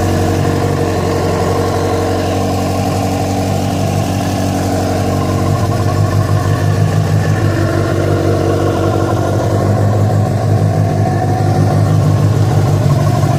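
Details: Yamaha FZ6 started after riding about 70 km on two cylinders due to a failed ignition coil connector: loud, uneven running with a rough pulse about three per second over the exhaust; strange noise, cause not confirmed.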